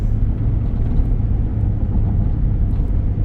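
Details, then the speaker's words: 2017 Nissan Pathfinder at speed: only steady low road rumble, no clunks, knocks or squeaks; suspension quiet and driving smooth. "I don't hear any suspension noise. It's driving really smooth."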